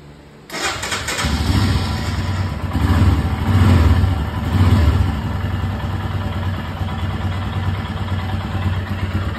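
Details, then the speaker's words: 2022 Royal Enfield Himalayan single-cylinder, unstarted for two days, after raising TPS voltage from 0.620 to about 0.690–0.710 to fix cold-start stalling: catches immediately without choke, small blips, then even thump; warm idle settles at 1250 rpm; normal cold start. "once it warms up the idle settles on 12.50 [Music] sounds good to me"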